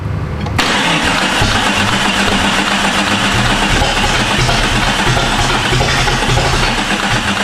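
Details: Jeep with a swapped-in replacement engine that won't start: long, even starter cranking with no catch. The starter was bench tested okay and is run with a bar, a suspected anti-theft issue; an ignition coil boot was sitting off a spark plug.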